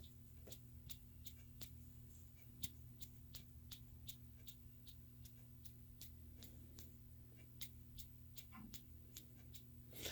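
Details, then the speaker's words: Leslie speaker upper rotor idle arm, already oiled, cleaned and lubricated: faint, even ticking about three times a second over a low hum as the arm spins; rough, dry idle-arm bearing, to be soaked in Corrosion X. "they have a lazy upper rotor idle or idle arm as I call them that I've oiled cleaned lubricated but still a little noisy"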